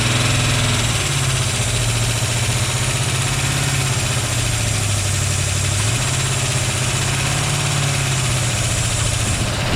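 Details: Chevy Vega wagon with a 350 V8 and 4-speed, year unknown, sat in a field about 15 years, first start with fuel added and no belts: steady, even low rumble at idle, no misses or knocks; runs surprisingly well.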